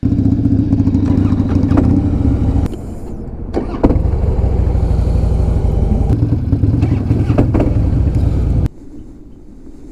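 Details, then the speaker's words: 2007 Harley-Davidson Softail Deluxe, 96 ci Twin Cam, at startup: lumpy V-twin with irregular metallic clicking and clanking over the beat; worn compensator, to be replaced with a compensator eliminator. "hear that clanking noise that is the twin cam compensator issue"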